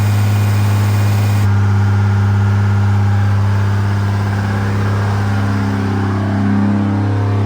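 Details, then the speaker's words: Freshly rebuilt 2nd-gen Cummins diesel during break-in, after plugging in the camshaft position sensor: even, steady rumble at raised idle with no knocks, misses or rattles; runs smooth, normal running. "She's officially broken and running. It sounds so good."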